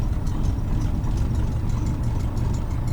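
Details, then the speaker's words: Cessna 150 with Continental O-200-A, previously losing power on takeoff and running rough taxiing, ground run after spark plug work: steady even drone, no misses or roughness, full static 2600 RPM; running smoothly. "The engine already sounds better. Okay, so normally the engine runs rough while I'm taxing like this, but it feels fantastic right now."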